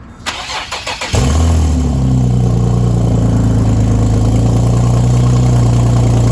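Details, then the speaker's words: Infiniti G37 cranked and started cold: loud idle with rapid rough puffing under the rumble from a really bad exhaust leak; owner plans to fix it with gasket maker. "there you guys have it as you can tell is really bad but right now i'm going to be heading down to autozone so i could pick up some gasket"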